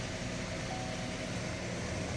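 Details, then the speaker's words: Chevrolet Captiva that came in with knocking in the timing chains, check-engine light on: dense metallic clatter at the front of a just-started engine. The classic timing chain rattle. "tá fazendo um barulho de chocalho lá na frente lá tem problema clássico das correntes"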